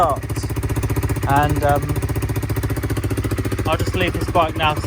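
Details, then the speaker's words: Honda CBR125 at 13,273 miles, first run after long disuse and fuel-pump priming: single cylinder putters at a fast idle with an uneven stumbling beat that never settles; rough running, cause not identified. "it's not been run for a long time"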